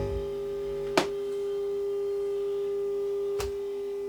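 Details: HMV 2400 Stereomaster stereogram amplifier on the bench, fed from a signal generator: steady, pure mid-pitched tone holds clean between switch clicks, so this channel reproduces properly; the other channel gave nothing, a fault later traced to the pickup lead and dirty mode switch.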